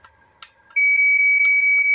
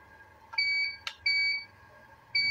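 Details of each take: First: Visatec Logos 1600 Swiss monoblock studio flash, capacitor charged to full, fired at highest power: faint click then steady high two-tone beep, no flash pop; error A2, lamp won't fire (bulb intact). Cause attributed to unstable power, age, rapid firing, high power use, or dirt shorting circuitry. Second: Visatec Logos 1600 monoblock studio flash after repair of error A2, fired at highest power: single soft, not very loud pop followed by short high ready beeps; fires and recycles normally (alarm sounds continuously only if fired too rapidly).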